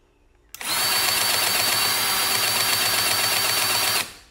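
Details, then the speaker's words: Milwaukee M18 cordless grease gun after a cartridge change and priming: steady high-pitched motor whine with an even pulsing about four times a second, the popping sound showing it is now pumping grease. "you hear that popping now it's bumming grease"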